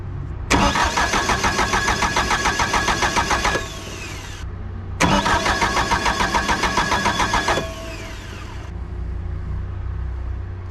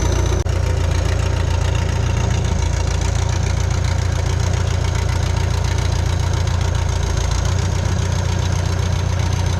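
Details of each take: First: Bobcat 883 with a reman Deutz diesel, turbo pipe not yet fitted, fuel cutoff fed 12 V: two cranking bursts of about three seconds at roughly 3.5 beats per second without catching; cause suspected, possibly cranking pulling voltage from the cutoff. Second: Bobcat 883 with a freshly installed reman Deutz diesel, first start: a deep, steady rumble with even, regular clatter and no misses or knocks; healthy idle.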